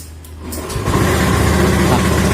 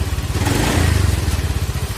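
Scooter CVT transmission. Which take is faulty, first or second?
first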